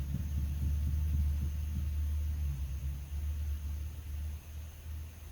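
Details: Fiat cranking: low uneven chugging throb that fades away, firing on only 1 or 2 cylinders and won't keep running. Owner unsure, suspects old spark plugs or wet wires.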